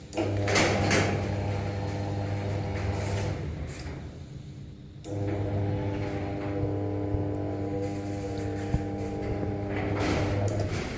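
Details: TM80/TM60 garage door opener after programming a new remote: steady low motor hum with even gear whir, short stop, then resumes smoothly; normal operation.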